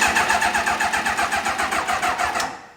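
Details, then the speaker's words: Motorbike-engine-swapped Reliant, starting for first time in months in neutral: sluggish, labored cranking dying after two seconds without firing; battery suspected ruined despite half an hour charging. "that battery does not sound healthy n that battery doesn't sound good no I think the battery is ruined"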